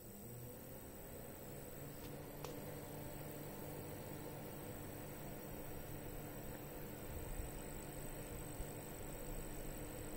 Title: Corsair HX850, squeaky, high frequency noise. Louder while under load.